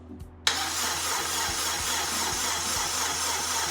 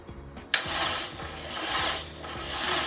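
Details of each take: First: Honda Integra DC2, first crank since 2017: strong steady starter whirr with even compression beats for five seconds, turning freely without firing; cranking healthy, objective of getting oil around complete. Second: Honda Integra DC2, no running engine since 2017, first crank in five years: slow rasping scratchy turnover about once a second, no firing; sounds very dry, cranking to get oil circulating.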